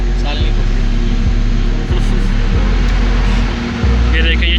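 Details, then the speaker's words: Haier top-loader washing machine, replacement drain motor fitted after the old motor failed though the board supplied power; low steady hum as the motor pulls the cord in and holds, no grinding or buzzing; drain motor works normally. "देखें, ये चल गई है। ये डोरी अंदर की तरफ जा रही है। ये बिल्कुल ओके है।"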